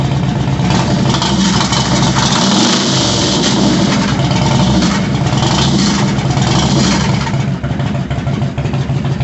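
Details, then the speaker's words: 2001 Harley-Davidson Road King with stage two cam and lifters, warmed up: loud, lumpy V-twin idle with an uneven lope, steady and strong with no knocks or rattles. "sounds good all right so thankfully she runs good"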